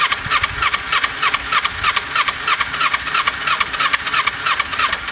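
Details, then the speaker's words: 2010 Kawasaki Ninja 250R sat unused about five years, cranked with choke on, fuel leaking from a hose aimed at the battery; engine catches and runs fast with a sharp rasping beat; starts and runs on choke. "so one thing that's happening is that when you crank you turn on the choke and you can see it wants to start on this hose when I crank it and you can see the bike does start"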